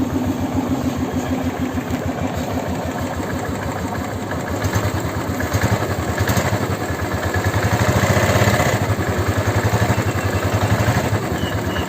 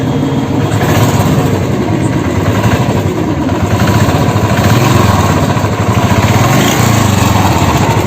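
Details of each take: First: Royal Enfield Classic 350 single cylinder after engine rebuild with 635 C3-clearance ball bearings: steady thump at roughly 230 beats a minute with no knocking or rattle, a normal healthy idle. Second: Royal Enfield Classic 350 at idle: dense rapid ticking over a loud, steady single-cylinder thump suggests a knock low in the engine, possibly the crank; engine knocking noise.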